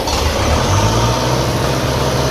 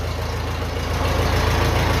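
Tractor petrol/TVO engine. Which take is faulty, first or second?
first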